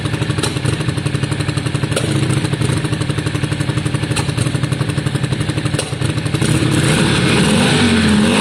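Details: 2002 Yamaha Virago V-twin after carb cleaning, with new ignition coils fitted: loping idle with both cylinders firing, occasional sharp exhaust pop before a throttle blip; intermittent spit unchanged from old coils, much improved overall, cause unconfirmed.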